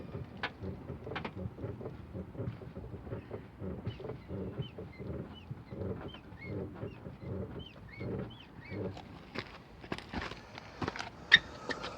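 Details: Mercedes-Benz 190E: faint, high squeaks repeating about twice a second, like a dry front suspension joint creaking; the owner thinks it comes from the front left, possibly a lower ball joint, unconfirmed.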